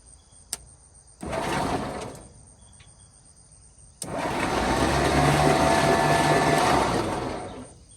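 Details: 1949 Ford truck with a Thunderbird V8 (owner thinks 312) that sat about 45 years, cranked after rocking free a cylinder stuck with rust: two starter bursts, steady even whirring, no binding; engine cranking freely.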